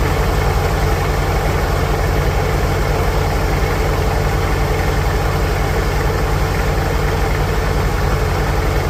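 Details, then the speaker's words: 1946 International Harvester Farmall H four-cylinder, in neutral after a pushrod replacement and deep cleaning, with a low battery: steady, even low chuff at a slow idle with no knocks or misses; normal, healthy idle. "There she is over there, idling all loyal like."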